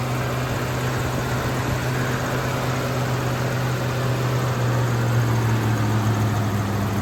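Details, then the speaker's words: 1971 Ford Torino Cobra, 429 Cobra Jet V8, freshly restored with just-rebuilt engine and drivetrain: smooth deep V8 rumble swelling briefly mid-clip then settling, no tick, knock or miss; runs like a top. "So here she is running. Runs like a top. Like I said, motor and trains were just rebuilt."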